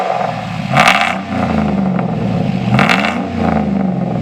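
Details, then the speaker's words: 2007 Chevy pickup after replacing rattling exhaust with Flowmaster FX muffler and 3-inch pipe expanded to 3.5-inch: deep steady rumble swelling cleanly on two revs back to smooth idle, no rattles or leaks. "sounds oh oh yeah sounds mean when you crank him up Rev him up"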